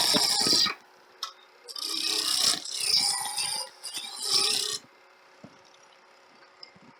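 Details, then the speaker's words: Woodturning a 4-inch sphere: irregular bursts of scraping with quiet gaps as the cutter catches only the high spots; the workpiece is still out of round with a flat remaining. "you can hear that it's either getting as round or get in there still got a flat on it"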